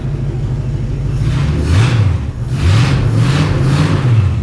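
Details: 1953 hot rod Studebaker V8, not driven in more than 60 years: deep smooth rumble swelling through several clean throttle blips and settling back evenly, no misses or knocks; healthy engine.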